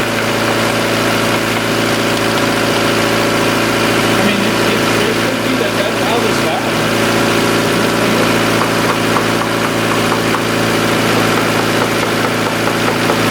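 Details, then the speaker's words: 1990 Honda CRX DX with fast idle and bad gas mileage: steady, slightly high idle with an even drone and a faint airy hiss near the brake booster; a vacuum leak there is suspected but not confirmed. "you know where I'm hearing that hiss from where it's coming from your brake booster room from where your brake booster around this area it's probably where you have a vacuum leak"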